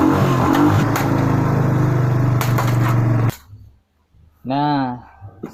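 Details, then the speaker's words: Suzuki Skydrive 125 automatic scooter, restarted with brake held; catches and settles into an even steady low putter, no knocks or misses, then shuts off; normal idle. "Kita coba sekali lagi, kita hidupkan kembali, kita kontak, kita rem dulu ya, karena tidak menggunakan rem tidak bisa hidup."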